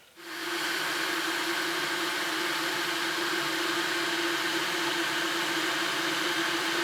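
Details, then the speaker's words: Electric kettle after DIY repair, tested with a little water: steady low hum with rushing hiss building toward the boil, steam from the spout; normal boiling. "Зашумел. Из носика показался пар."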